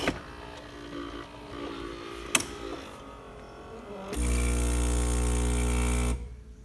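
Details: Gaggia Anima Prestige after repair: weakened lid magnet failed to trigger the sensor so it wouldn't grind; a new stronger magnet was glued in, and now after light clatter the grinder motor runs about two seconds with a strong, even hum.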